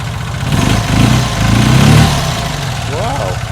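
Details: Classic Fiat 500 twin just upgraded to 695cc, new bushes and damper plate: even, lumpy idle at roughly four beats a second with no knocking or rattles; normal idle.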